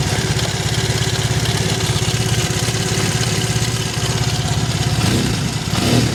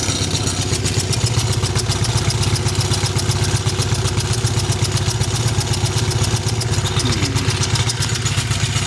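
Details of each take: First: Triumph Bonneville twin after the right-side spark plug problem was fixed: steady, even idle with regular firing pulses and a brief blip near the end; both cylinders firing, spark plug issue confirmed as the cause. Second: Triumph Bonneville twin, just restarted after owner's own repair and fresh oil: uneven, lumpy idle around four pulses a second, one cylinder not firing cleanly; owner suspects a loose right-side spark plug, not confirmed.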